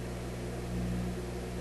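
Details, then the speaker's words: Koronette console stereo record player after installing a new cartridge in the tone arm, powered on with a record playing: a steady low mains hum with a buzzy edge and no music, with no ground wire connected. "a lot of hum but i i don't have a ground wire connected here"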